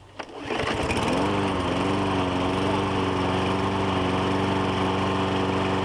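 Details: Troy-Bilt mower with 2012 Briggs & Stratton 550EX engine, before oil change/tune-up: catches on a pull and settles into a steady, even buzz with no misses or surging; running healthy.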